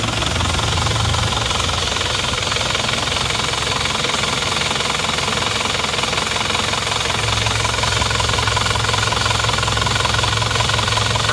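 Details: Diesel engine idling after repair with thermostat fitted; steady even clatter, no missing beats or knocks, no smoke from oil filler cap, clean exhaust; temperature gauge reads high though engine not actually overheating; runs normally.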